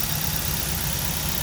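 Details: 2009 Ford Focus that had a no-crank fault, starter replaced and cranked by jumping the starter: steady, even idle with a smooth low hum and no knocks or misses; suspected cause is the ignition switch or its wiring.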